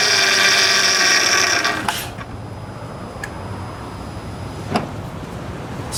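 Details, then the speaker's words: 2006 Honda Odyssey EX-L after power steering pump replacement (original leaked at shaft), reservoir filled, brief run: sharp steady high-pitched whine for a couple of seconds, new pump complaining from air before priming and bleeding. "I did fill this up but it's going to complain and I just turned on for a little bit you'll you'll hear you'll hear that that complaint it's a very distinct sound"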